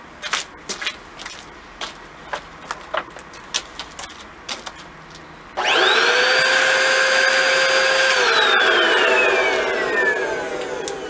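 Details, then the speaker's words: Upright canister vacuum: loud rushing hiss over motor whine from the air flow indicator valve, meaning something is blocked; the line is clear, so the blockage is probably in the canister or filter. "when I turn it on you could hear that troops of air that means that there's something blocked"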